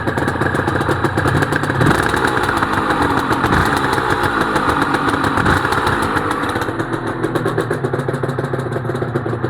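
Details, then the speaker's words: Honda NSR250R-SP MC18 two-stroke 250 during restoration, on choke with JHA expansion pipes and power valve servo working: crisp, rapid, steady idle with a clean ringing exhaust note. Normal idle. "Wow, those pipes do sound nice. I'll get down low so you can hear them."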